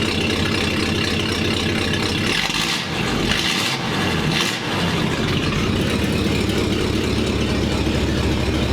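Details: 1947 Ford panel truck after fitting a new custom exhaust that previously dumped by the passenger door; steady, even idle with low exhaust rumble and brief dips, much quieter, a small exhaust leak still noted.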